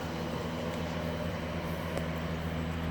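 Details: Barn-find 1971 Chevrolet Chevelle straight six, three-speed on the column, hood up: quiet, steady low hum with an even beat and no tapping or stumbling; normal idle.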